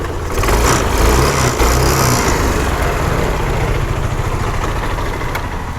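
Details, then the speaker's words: Honda Activa 125 scooter after fixing starter motor overload via decompression system, old uncharged battery: single cylinder starts instantly and settles into an even, steady idle with no knocking or starter strain; normal idle. "പഴയ battery തന്നെയാണ് start ചെയ്തു നോക്കാം friends തൊട്ട ഉടനെ start ആയി"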